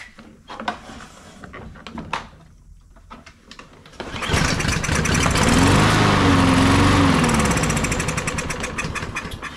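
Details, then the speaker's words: Troy-Bilt (MTD) push mower, oil and gas present: several pulls, catches on carb cleaner, runs roughly and smoky, then dies; likely carburetor needing cleaning. "so that one starts right up on carburetor cleaner and dies out"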